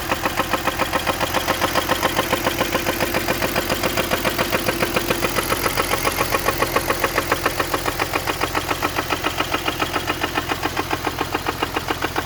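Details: BMW E46 M54B30 at idle: sharp, even knock about three and a half per second, steady and deep in the block; owner asks rod knock or spun bearing, likely bottom-end knock.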